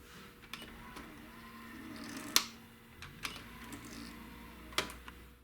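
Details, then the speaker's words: Panasonic RX-DD2 DCC boombox playing an analog cassette: irregular sharp clicks and rattling over quiet tape-transport hum, caused by a broken gear in the mechanism; intermittent dropouts also reported; fixed with new gear, capacitors and belt. "clicking and rattling sound is caused by the broken gear three seconds into the first track you will hear it wrap out as well"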